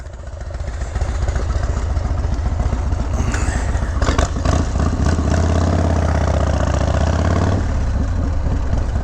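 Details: 1991 Harley-Davidson FXDB Sturgis, 1990 anniversary limited edition, Evolution V-twin, about 30 years old: loping, even idle, then revs rise smoothly pulling away on a ride, no knocks or rattles; healthy engine.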